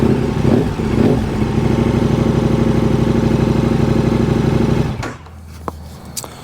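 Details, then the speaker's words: KTM 1290 Super Adventure with replacement battery, cranking dips to 8.2 volts: big twin holds even, steady idle with no misses, no warning light; old failing battery was causing fault codes. "So there we go. Cranking low 8.2 volts, which ain't so good there. So, I can't put air conditioning on, but I'll put my Well, there you go. No warning light."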